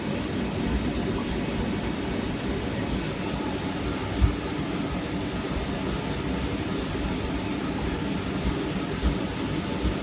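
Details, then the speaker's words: Sonofresco 2 lb propane coffee roaster, cold start at -15°C outdoors, just after ignition, exhaust warm: steady even blower roar with burner flame underneath, no sputter or popping; normal burner run, ignition bang within 10 seconds confirms flame. "So one way to know is that sound, that bang sound, you'll hear within 10 seconds. That's how I know that the gas line or the fire is burning."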